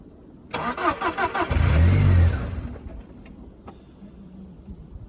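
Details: 2004 Volkswagen Passat 1.8T: steady starter churn about four beats a second, briefly picking up then dying; cranks but won't run, sounds like it's out of gas (suspected).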